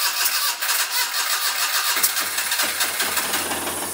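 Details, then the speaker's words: Daihatsu-engined Midget project car, first start after the build. It catches and then stumbles with ragged, uneven firing; suspected ignition timing error, possibly a crank sensor wired back to front, and the engine also flooded. "yeah sounds terrible turn it off it's a good noise does sound different but it ran"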